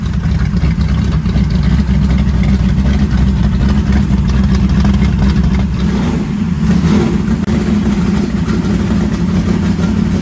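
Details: First fire-up of freshly swapped 335hp supercharged Ardun flathead in 1932 Ford Roadster, magneto switched on after cranking to oil pressure: low lumpy steady fast idle, no knocks or misses; runs well, though an AN oil fitting at the pressure-gauge line leaks.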